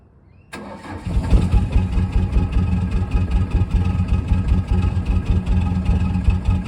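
Starter turns it over and it catches, then settles into a loud, lumpy idle with uneven knocks, so it is running rough from cold. Cause suspected, not confirmed.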